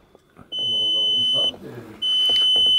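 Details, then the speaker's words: VW Passat B5 being started: dashboard warning chime, two long high steady chimes about a second each with a short gap, while the dash shows a fault message apparently about temperature. "Zeigt eine Fehlermeldung, ne? Was denn? Temperatur."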